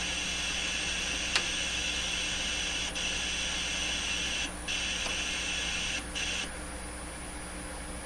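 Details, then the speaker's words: 1925 Lacault Ultradyne receiver, oscillator set near 800, signal generator coupled nearby: steady hiss with thin whistling tones cutting in and out and a sharp click; spurious noise from the radio, cause unclear. "nothing to do with this that's just more nonsense coming from the radio"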